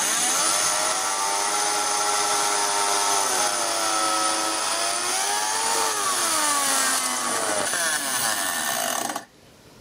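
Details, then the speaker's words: Small DC motor run from a variac, heavy-duty high-hour battery-type winding, warm and overheating; whining tone wanders with voltage then cuts dead about nine seconds in as the motor pops into a dead short, brushes and commutator likely damaged. "dead short oh I popped it just turn it off and give it a turn might overcome a dead spot"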